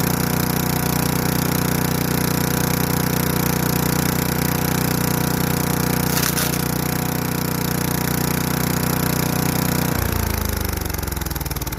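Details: Craftsman Eager 1 4hp chipper vac (model 987.799790, auction flip) chipping sticks. Single-cylinder chugs steadily with crackling sticks feeding, then spins down smoothly; bent sticks don't go through. Healthy, normal running.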